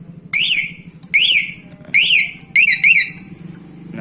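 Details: CR7 Bohante motorcycle alarm being tested after installation, vibration sensor locked via the remote: sharp warbling chirps about once a second, rising and falling up high, with a faint hum underneath. The alarm is triggering normally.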